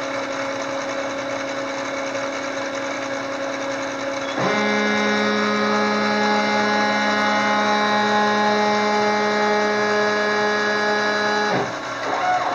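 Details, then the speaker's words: Gerber D200 self-test of the X and Y controller: stepper tones jump in pitch as the X axis moves, with a rough, uneven rumble. Noisy, staggering X drive. "This is a self-test with the X and Y controller. X exhibiting some staggering."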